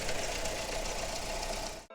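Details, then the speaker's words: Nissan Juke petrol engine (stated 2004, F15) with intermittent crank-no-start and cutting out, engine bay: fast light metallic rattle over the idle, steady and chattery; timing chain rattle, suspected failed tensioner. "now this car is suffering from timing chain rattle now we suspect that this got a failed tensioner"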